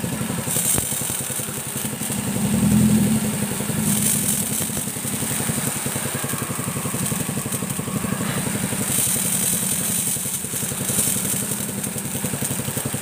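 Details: Motorcycle-wash pressure washer (steam machine) that had a weak water jet, running under full spray: steady, even pump pulsing about four beats per second, no knocks or rattles; normal running.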